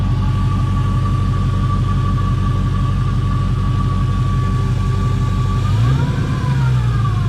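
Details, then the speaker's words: LS 5.3 V8 swapped into a 1988 Firebird, the day after first start, warming at idle with solid oil pressure: smooth, even, faint steady whine, and the earlier lifter tapping is gone as the lifter pumped up; healthy. "see now I don't hear that clicking noise anymore that tapping"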